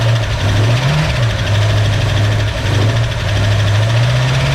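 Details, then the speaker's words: 1965 Mustang V8 with new Speedmaster heads and used lifters, first start-up: uneven lumpy idle with wavering beat and light ticking; ignition timing was too far advanced, then reset to about 8–10° BTDC and it sounded much better. "sound [Music] better better yeah sounds much better it was too far Advanced I set it about [Music] 10°"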